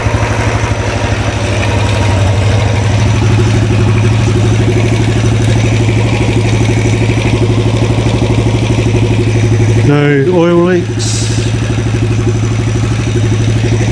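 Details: 2013 Royal Enfield Classic 500, first start after an engine teardown and rebuild, at idle: a loud, fast tick rides over each firing beat in a rattly top end. Owner asks whether it is the rockers or pushrods; unconfirmed.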